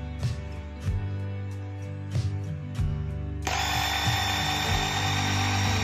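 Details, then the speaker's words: Makita 4327M jigsaw after about 2 years of use, disassembled and gearbox freshly lubricated: steady, even buzz with no rattle or knock, gearbox running smooth; normal running, judged about 95% condition. "Tidak ada suara berderak; Semuanya berjalan lancar."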